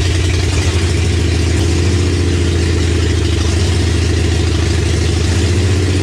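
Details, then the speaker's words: 1965 Mercury Comet with 5.0L V8 and T5 5-speed on first start, open headers, timing just checked after a fuel leak: loud, lumpy idle that wanders rather than staying crisp, a vacuum leak from a missing plug on the back of the intake. "we got the engine running which was a huge stepping stone for this build turns out there was actually a plug missing on the back of the intake"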